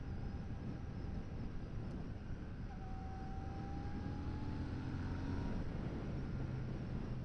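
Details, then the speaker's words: 2024 Royal Enfield Shotgun 650, 648cc parallel twin, on a first ride: a faint thin whistle from the engine comes and goes, rising slightly in pitch over the riding drone and wind. The rider is unsure of the cause. "there's a little weird whistling coming from the engine at times I'm not sure what that's about it's kind of interesting"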